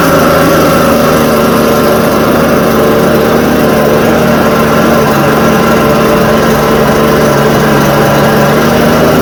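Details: Echo TB580T two-stroke blower, cold garage: constant high buzzing note holding speed evenly; runs smoothly before low-speed adjustment is reset.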